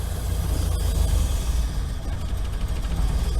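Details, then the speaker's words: Old campervan started after sitting all winter: idle sags and nearly stalls in drive and reverse, then idles high in park and neutral; persists despite last year's tune-up, cause unknown. "Throw it in drive and it wants to die a little bit. Okay. Throw it in park, idling high."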